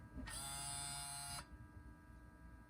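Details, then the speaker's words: 2004 Toyota 4Runner V8 Limited, 246,000 miles, new Aisin SAT-003 4WD transfer actuator, ignition on, in neutral: short even electric motor whir of about a second, then quiet; actuator shifts cleanly into 4WD low. "And disengaging 4-wheel drive and center diff lock. So everything is working on this new one."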